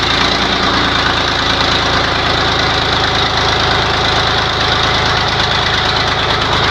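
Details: YaMZ-236 V6 truck diesel on first start after a rebuild, dense steady clatter at an even idle with no hunting or misfire. Some smoke was noticed afterward and the engine had warmed slightly.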